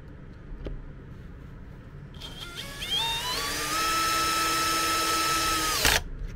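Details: MET AIR T-100 anti-bedsore mattress compressor, after repair of a dropped-out internal contact that stopped it switching on: motor spins up, then steady even hum and pitch while pumping air; normal running.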